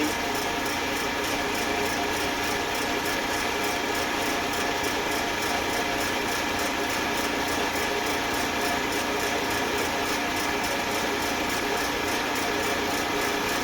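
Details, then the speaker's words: Eastwood Elite QST 30/60 scroll air compressor after replacing the failed pressure switch, which had never cut out and popped the 30 A breaker: tank around 90 psi heading to the 145 psi cutoff, even hum with fine rapid chatter, no knocks; normal running. "What I'm going to do is follow it until it gets to about 145 where it's supposed to shut off and see if it shuts off."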